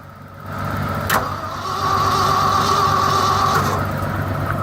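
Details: Old Ford F-600 truck at -22°F: starter whine with rapid, even cranking around four turns a second that never catches; owner says the fuel is frozen on one side of the tank, starving it.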